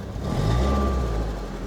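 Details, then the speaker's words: Newly bought BMW E36 Compact, first start on makeshift wiring, out of gear, catalytic converter reportedly gutted: deep uneven low rumble swelling and sagging, no steady beat, vibrating the car; rough idle. "You can tell from its idling that it's a bit rough."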